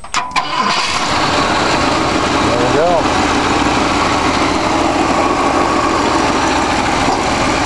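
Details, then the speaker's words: A freshly rebuilt and timed 1965 Ford 352 V8 in a wagon cranks quickly, then settles into a loud, steady, even idle with no knocks or misses. It is low on antifreeze and the owner thinks two small exhaust leaks at the doughnut gaskets need tightening. A healthy start. "I timed it I need more antifreeze um but she does start right up"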